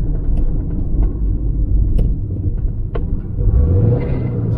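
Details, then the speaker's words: 2006 Subaru Impreza 2.5L single cam, sluggish across the rpm range, warm, throttle blipped while parked: a deep rumble that climbs lazily from about 500 to 1500 rpm and bogs down; a dirty MAF sensor turned out to be the cause. "yeah it's way too slow so it's bugging down is what i'm saying"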